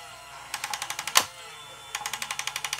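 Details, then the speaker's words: Top Race TR-113G 6-channel RC front loader lifting a bucket of light unpopped popcorn; quick even bursts of sharp clicking as the lift gear clutch slips under load. "click click click I go back a little bit and that popcorn is really light too it's almost like fiberglass"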